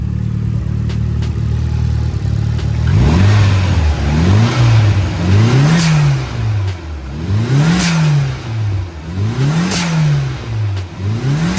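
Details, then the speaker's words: Nissan 240SX S13 coupe after swapping knocking SR20DET for JDM Silvia SR20; revs rise and fall cleanly, steady note, no knock or rattle; blow-off valve needs proper spring for perfect idle; healthy engine revving. "But other than that, this thing is super healthy and it's doing really well."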